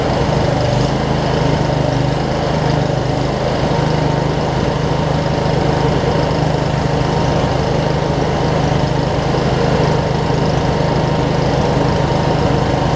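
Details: Craftsman DLT 46" riding mower, 25hp Briggs & Stratton V-twin, first run after sorting messy wiring, some smoke burning off around valve covers; even steady drone at constant speed, no stumbles or knocks; normal running.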